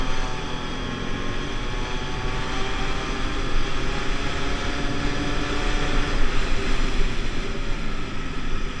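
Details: 50cc two-stroke Pulse Force scooter on a road test after a fuel-starvation fix, 14-stone rider: buzzy note climbs steadily as speed builds, no stutter, misfire or bogging; normal running.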